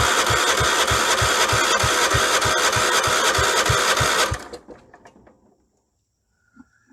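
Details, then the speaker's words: 1976 Vermeer LS200 log splitter, Kohler K301 12hp single, starting fluid, no choke: even cranking chuffs about three per second for four seconds, never catches, not a pop; cranks but no start, ignition power to be checked. "oh and I didn't even have it on choke which probably isn't good not even a pop okay I guess we start by checking for ignition power then"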